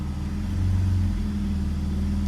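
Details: BMW E46 with M54 engine, after repair with a fixed torque converter: idle in Drive gives a smooth, steady low hum with no knock or rattle; the earlier foreign noise heard in Drive is gone.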